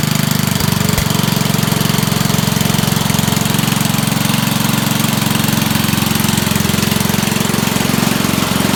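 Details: Dump-find Rugg carpet-cut tractor small engine after cleaning a very dirty carburetor and adding a fuel filter; choked, started on 3 pulls. Steady quick idle about three beats a second, loud blatty exhaust from ruined muffler, even running; normal idle.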